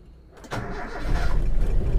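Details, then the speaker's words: Toyota Kijang Super with a carburetor, engine fully cold, started without using the choke for a carburetor analysis. Brief crank, then the engine catches and rises into a rough, building idle: it starts normally. "Oke, kita nyalakan. Cekrem, enggak teman-teman, enggak cekrem ini."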